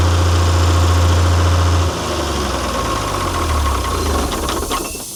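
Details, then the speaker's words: Ford D Series diesel truck, first start after sitting 28 years: the idle surges and sags unevenly, hunting, then the engine cuts out when returned to idle. A sticky governor is suspected; there is a possible miss. "I put it back to idle and she cut herself out, but governor's probably a bit sticky. You could hear how she was hunting there."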